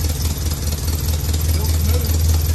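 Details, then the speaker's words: Chevy Mule (UTV) 350 V8 after new plugs and wires replaced grungy plugs and a chewed wire; it had seemed to run on six cylinders or less before. Deep, steady burble with even pulses and no missing beats. Normal idle. "It literally sounds like it must have been running on six cylinders or less."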